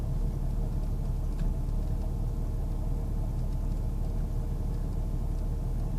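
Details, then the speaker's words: 1998 Jeep Grand Cherokee Laredo at idle: low, heavy idle rumble with an uneven, loping feel, as if wanting to stall on its own; rough idle, cause not found. "Why is this doing this? It's just doing this all on its own. It's like it wants to stall out."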